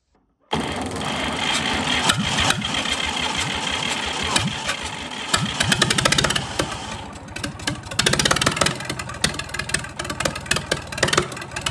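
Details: 1962 Fordson Super Dexta diesel tractor just fired after 25 years sitting: it runs with an uneven, stumbling beat and loose knocks because air is still trapped in the fuel lines and needs bleeding.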